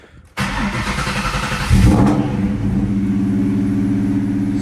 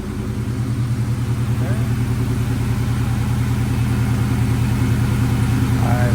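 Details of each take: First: 1998 Mustang Cobra with straight-piped, very loud exhaust, cold start: a quick, uneven chirp over the idle that only occurs when cold and goes away once warm, from a squeaking belt tensioner to be replaced with an OEM unit. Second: 1998 Mustang Cobra idling after installing an OEM belt tensioner to cure a belt squeak: steady, even idle with deep, very loud exhaust pulse and no squeak or chirp; normal idle, squeak fixed.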